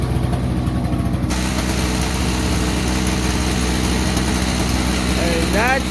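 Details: Toro CCR2500 5 hp two-stroke after carburetor cleaning, muffler full of oil: steady buzz at fast idle, firing evenly and holding speed without dying; engine now runs properly.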